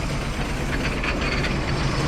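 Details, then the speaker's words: Van just revived after 15 years of sitting: a steady idle with an irregular slapping clatter from the alternator and AC compressor belts, which are not hooked up and are flapping loose. "they're not even hooked up right now so they kind of like flanneling around like crazy in there so yeah that's that sound"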